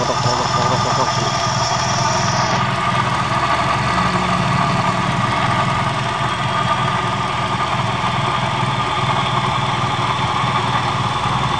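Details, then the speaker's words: Toyota Vios idling: rough gritty grating under the engine note, traced to worn AC compressor clutch pulley bearing. "ini seperti suara bagian bearing diantara luar ya antara luar di bagian bensin yang ini"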